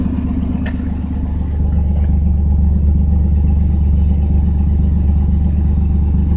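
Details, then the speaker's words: 1992 Chevrolet S10 Blazer, cold day, idling smoothly after replacing plug wires that caused a misfire, no check engine light: deep, even idle about two pulses a second with no misses; normal idle. "It used to miss really bad. Now it's nice and smooth."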